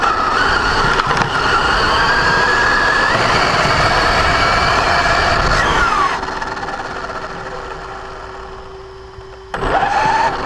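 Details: Brand-new Basher Nitro Circus 4x4 1/10 RC truck on a 3S 4000mAh battery: a rough gritty grinding rasp under motor whine that climbs with throttle, then fades. It happens only accelerating, never in reverse or off the ground. Gear mesh adjustment failed to fix it.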